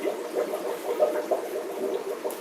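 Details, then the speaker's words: Fluval F406 canister filter on a 90-gallon discus tank, restarted after a water change and cleaning. Soft irregular gurgles and bubbling as it purges water, air and debris from the tube, which settles normally. "since there's water in the filter you can you can hear it popping out the water and there's some some crap that was inside the tube I guess so it should balance itself out in a sec"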